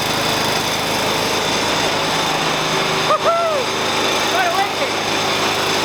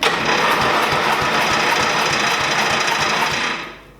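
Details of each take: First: 1988 Dixon ZTR 311 zero-turn mower, Briggs & Stratton 11 hp single-cylinder, after full restoration and carburetor needle adjustment (turned in, opened one and a half), exhaust now hot: steady, even buzz at constant speed, no misses or surging; running properly. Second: 1988 Dixon ZTR 311 mower with Briggs & Stratton 11 HP engine, air filter removed, choke on: steady starter cranking about four pulses a second that never catches. No fuel reaching it, fuel starvation; runs after fuel added.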